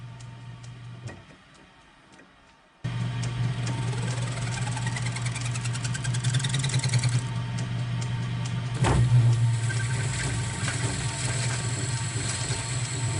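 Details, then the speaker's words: Kearney & Trecker 2HL restoration part machined on a lathe: harsh rattling chatter over steady spindle hum while cutting unknown material (maybe 4140); suspected chipped insert and only about a quarter inch gripped in the chuck, needs tail support. "well that sounds pretty terrible and it looks pretty terrible I I think I might have a chip in this insert that I didn't notice when I started"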